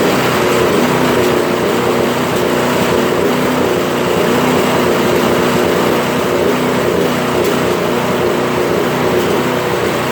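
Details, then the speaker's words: Toro Power Clear 721 RC snow thrower after a carb cleaning treatment, started on primer and choke: small engine holds a fairly steady idle with only an odd stumble. Sputter much reduced, occasional sputter at idle. "so it's not sputtering as much right that's not bad"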